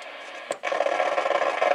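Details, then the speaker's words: Realistic TRC-451 CB radio after all capacitors replaced: loud, scratchy crackling hiss that comes in abruptly and keeps sputtering, even with RF gain off; owner suspects a faulty transistor somewhere; cause not yet found. "what sounds like an old leaky old tube gear have a bad audio tube get all noise and Scratchy and stuff"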